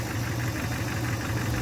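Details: 2015 Chevrolet Camaro SS with a replacement 6.2L V8 after the old block was holed, first start: early lifter tick while oil pressure builds, quieting to a steady, deep, even, healthy idle rumble.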